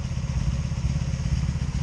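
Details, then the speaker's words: 2002 Honda Magna VF750C that misfires and backfires: lumpy, uneven idle with dropped beats, felt on all four cylinders even after replacing the ignition coils; owner now suspects the CDI box. "I got a misfire here damn I got a misfire here so both of this I'm getting misfires I'm getting it up here that's about it I mean I I can feel it [Music] on all four of the cylinders I don't understand that"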